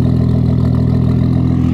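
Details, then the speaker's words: Mercedes W203 with turbocharged M104 engine just after its injectors were cleaned, fuel pressure good: steady, even hum with no stumbles, much smoother than before, and cold starting is easier. Normal idle. "oh yes running so much smoother"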